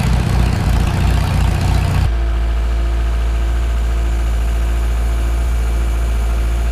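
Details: Farmall Super M tractor engine idling with a low, steady thump several times a second, a knock down in the engine, heard at the start of the engine rebuild before teardown.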